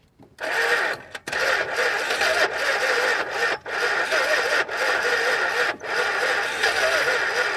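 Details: 1962 Chrysler Newport, 361 V8 with TorqueFlite A727, parked 17 years, water found on it but carburetor free and engine not seized: repeated long starter cranking bursts with short pauses, never catches; long crank, no start.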